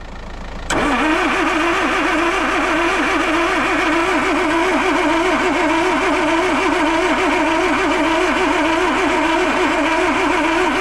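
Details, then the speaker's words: Land Rover 2.25 petrol, stood months, refurbished Zenith carb, new distributor, coil, HT leads, solenoid, lift pump, starter; choke fully out: starter cranks steadily about three pulses a second, never fires; owner suspects no fuel. "Not happening, is it? Doesn't even sound like it's firing. Weird that."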